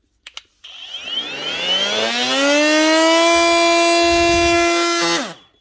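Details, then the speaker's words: Panasonic EY45A5 brushless cordless multi-tool after replacing a 6000 bearing: motor spins up to a steady high tone, holds it smoothly without rattle or wobble, and winds down cleanly. Still loud but no vibration. "still loud but there's no [Music] vibration"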